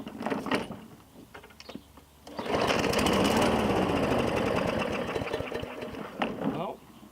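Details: 2017 Murray 21-inch mower with a Briggs & Stratton 450E, dirty carburetor: a few seconds of pull-start cranking with quick ragged chuffing that dies away without catching; it cranks but won't fire.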